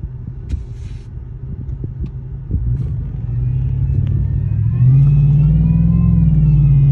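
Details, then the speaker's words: 2021 Chevy Silverado, 30,000 miles: deep engine rumble pulling away from a light with a thin, rising, power-tool-like whine on acceleration, seemingly from the front of the engine; it began two or three days after an exhaust install. "i started hearing a whining noise sounds really bad sounds like a power tool just going off and off every time i step on the gas but it doesn't sound like it's coming from the exhaust it literally sounds like it's coming right from the front of my motor"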